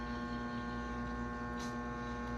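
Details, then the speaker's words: 1937 RCA Victor 85T1 tube radio: steady loud mains-style hum with a buzzy edge from the speaker while tube voltages on the 75 and 42 measure correct; noise source in the audio stage still being traced. "nós temos um problema no áudio esse problema Esse ruído que tá sendo gerado"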